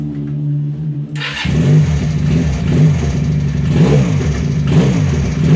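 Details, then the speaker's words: Benelli Patagonian Eagle twin-cylinder motorcycle after a spark plug change: steady, even firing with clean throttle blips and no stumble, so both left and right cylinders fire and there is no misfire. "oke ya suaranya engak pincang kanan kiri aman berarti ganti businya aman"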